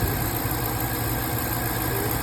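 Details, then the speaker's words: 2017 Dodge Charger idling after the cylinder 6 misfire repair: steady, even low hum with no stumbles. The misfire is gone and it runs smoothly. "okay finalization 2017 Dodge Charger mix fire cylinder six and as I said no more Miss fire it's gone running real good"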